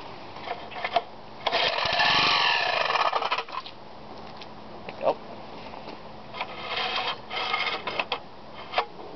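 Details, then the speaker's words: Briggs engine block rebuilt as a rotary-piston assembly, pull-start attempt with a few drops of gasoline: harsh scraping screech on each pull and it never catches, suspected recoil starter screeching; screech during pull-start. "again sounds like we got a little bit of U recoil starter uh screeching or something going on there"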